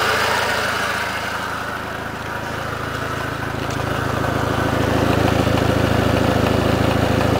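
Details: 2004 Passat at idle: a fast, regular puffing tick, about 160 a minute, over the engine hum. Exhaust leak, suspected of causing a strong fuel/exhaust smell in the cabin during long idling with the heat on.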